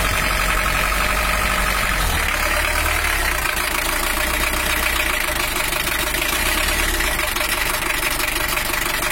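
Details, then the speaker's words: Uneven, lumpy diesel idle with loose irregular clatter about three beats a second on a Toyota Hiace LH-11 after repairing its broken injection pump bracket; injection timing still off and needs setting, oil pressure normal at 5 bar. "terus untuk suaranya masih kurang pas jalur nanti kita cari lagi tapi kita biarkan anget dulu dan untuk tekanan olinya udah normal udah 5bar"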